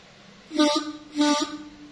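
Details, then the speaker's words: Yamaha RX-King two-stroke reed valve (membrane) being set up, the quiet side checked with three petals covered. After adjustment that side now sounds: two short reedy honks of about half a second each, buzzy near 250 Hz; the reed petal sounds freely. "Nah, bosku, bunyi dan kita coba yang sebelah sininya."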